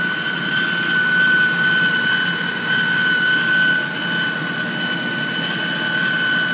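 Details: 1997 Honda Civic DX, 5-speed four-cylinder: a steady high-pitched whine or scream over a quiet idle that doesn't change pitch; owner suspects the timing belt, unconfirmed.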